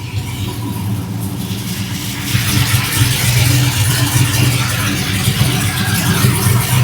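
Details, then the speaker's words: 5.3 LS-swapped Dodge Dakota just started after fitting a Motion Raceworks 92mm ICON throttle body and TPS auto-set, letting it warm up; owner thinks the IAC was leaking; idle settles steady and even, picks up slightly, no hiss or hunting; normal idle. "now I got to let this thing warm up and then we'll be done all right running pretty good running really good actually"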